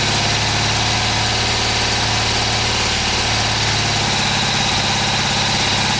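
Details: Freshly restored 1977 BMW R75/7 boxer twin on first start after oil fill and timing set, choke on and fresh fuel: steady, even idle with a constant low thrum, no knocks or misses; runs cleanly.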